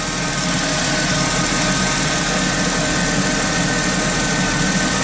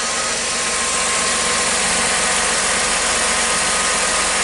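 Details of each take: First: 2006 Chrysler Sebring with transmission limp mode and a jumping speedometer, idling under electrical load: a thin whine bends and strengthens; voltage reads fairly steady, owner judges the alternator noisy. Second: 2006 Chrysler Sebring, battery reconnected, just after start: steady even idle with a smooth hiss, no alternator whine; normal idle.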